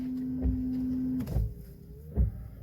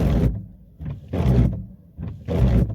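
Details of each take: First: Car windshield wiper that had squealed loudly, after reshaping the rubber blade; soft thumps about every second as it reverses, no squeal or chatter: quiet windshield wiper. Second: Wiper blade groans and judders in loud bursts on each sweep, about one a second, even when wet with water; rubber set from the blade sticking to the glass, hardened rubber causing chatter.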